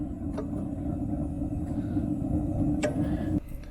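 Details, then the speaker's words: RV water heater burner after closing down the air adjustment to stop the sputtering whoop from too much air: steady soft low rumble with a blue flame, no roar or flutter. A normal, quiet burner. "look at that now hear how quiet that is we still got the blue flame but it's not wolf wolf whooping while air comes in here it's getting too much air and that's what's making that sound"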